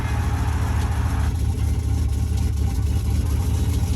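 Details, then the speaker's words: 1995 Jeep Grand Cherokee ZJ V8, just after replacing the crankshaft position sensor with a Mopar part: uneven, lumpy low idle with wandering beats, though hesitation is much reduced; cause of rough idle not identified. "Well, that idle doesn't sound great."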